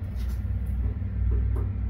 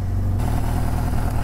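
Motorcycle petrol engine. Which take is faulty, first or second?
first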